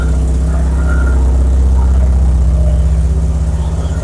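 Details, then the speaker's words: Stolen Porsche 944 that sat a year in the woods, first run: loud, raspy idle with a choppy puff about four per second from exhaust leaks at multiple joints, which appear held with putty. Oil pressure and idle are good. "but got good oil pressure the idle's good up here man yeah the exhaust is leaks upon leaks upon leaks"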